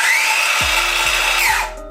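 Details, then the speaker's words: Milwaukee M18 Fuel 165mm brushless circular saw free-running at its rated 5000 rpm blade speed: a smooth, high steady whine, noticeably faster than an AEG brushless saw, then a sharp wind-down as the electronic brake stops it. Normal. "and this is the milwaukee you can hear that it's a lot faster"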